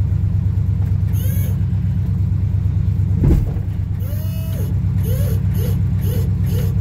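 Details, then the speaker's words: 1975 Chevrolet K20, still cold in freezing weather, moving the plow: deep rumble under short rising squeals and groans, unhappy on the right turn; hydraulic pump strain, owner suspects low fluid. "oh my Lord oh it's not happy with the right turn [Music] oh yeah she might be out of she might be low on"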